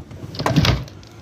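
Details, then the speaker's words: Renault car door gives a short double 'tak tak' knock when opened instead of smooth travel; likely the door latch needs lubricating, and the noise stops after greasing it. "Arabanın kapısını açtığım zaman tak tak diye ses geliyorsa"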